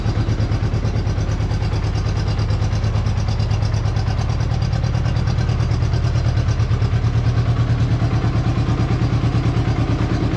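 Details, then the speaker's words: Honda Goldwing GL1200 flat-four idling after cylinder gasket leak repair, spark confirmed on all coils; deep, even exhaust pulse about three beats a second, no stumble, running a lot better on all four cylinders. "So, engine runs a lot better when it's running on all four cylinders."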